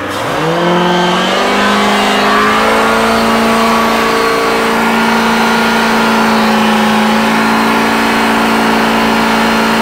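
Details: Volvo Penta engine revs quickly then holds at one steady, capped rev with an even tone; going into limp mode, something heard hitting something, cause not found.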